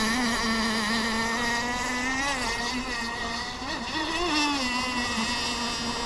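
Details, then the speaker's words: Kyosho Jetstream 1000 nitro boat with a GT32 marine engine, on the water after an earlier leaned-out setting: loud buzzing at a fairly steady pitch with a slightly wavering, burbly note. Running rich. "oh well as Hy says she's running rich"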